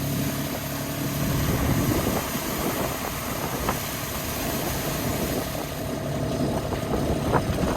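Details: Trade-in dumper diesel: steady chug at idle with some clatter as the skip is lifted; engine runs evenly, normal idle.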